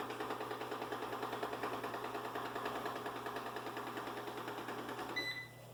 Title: Ecovacs Deebot N79S Loud Noise